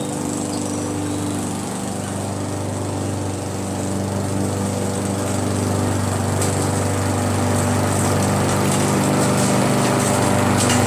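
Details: Briggs & Stratton mower with Pulsa Jet Prime plastic carburetor, after replacing diaphragm and gasket: smooth even buzz at steady speed, no surging or misses; runs perfect now.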